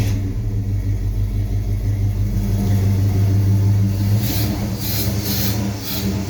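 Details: V8 with Holley Sniper EFI and HEI, ran strong until a loose O2 sensor was tightened: heavy, lumpy low rumble loping about three times a second with an uneven beat; rough idle, no power, little improvement from rerunning wizard, none from disabling closed loop.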